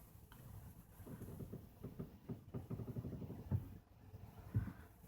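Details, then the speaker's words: 2010 Toyota Corolla Matrix, previously sideswiped and repaired: low creaking groans and dull pops from both front sides as the steering wheel reaches full lock either way; a click also when accelerating from a stop; no visible leaks or broken parts. "it's almost like a popping sound and it can be controlled with how far you turn the wheel just right as you hit the end of either"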